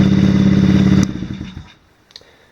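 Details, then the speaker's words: Brand-new 110cc Chinese fully automatic ATV, first test start after assembly: small single-cylinder engine chugging at fast even idle, then shut off and coasting down; sounds healthy, normal idle. "transmission running pretty good it does have a headlight and a tail light"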